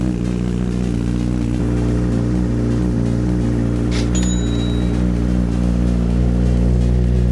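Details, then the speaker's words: Salvage wrecked Honda CBR1000RR on first start with a trickle charger on a weak battery, old oil: steady, even low idle, no misses or knocks, under loud background music; sounds healthy. "Sounds good. Oh my god. That thing is raw."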